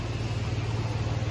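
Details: 2006 Toyota 4Runner, after corroded park/neutral switch and connector replaced to cure no-start when hot: low smooth idle hum, steady, no stumbles or surges; normal idle.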